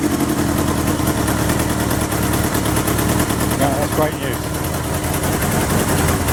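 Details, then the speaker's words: 1977 Kawasaki KZ650/Z650 B1 inline-four, air screws 2¼ turns out (manual says 1½), second-hand starter fitted; choppy, uneven idle with lumpy, popping exhaust note that never settles; carbs still need syncing. "still need to be synced"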